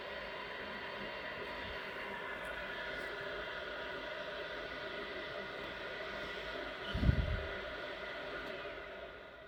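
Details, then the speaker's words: Worcester Bosch boiler after repairing a C7 fault, powered up with a central heating demand: steady fan hum through the start sequence, then a brief low whoosh as the burner lights; it fires up normally. "Right, I can hear the fan running now. It's going through the process. Hopefully, because the central heating demand on, and should fire up in a minute."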